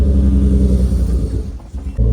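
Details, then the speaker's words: Turbo E46 BMW ZHP, true cold start after two days of rain, cowl filter tray missing: deep lumpy rumble sagging and stumbling before recovering; cold start misfire, owner attributes it to water, ice found; later runs well. "You heard that cold start and it was missing because, well, would you know it, you don't have the filter tray under there to catch the water and drain it."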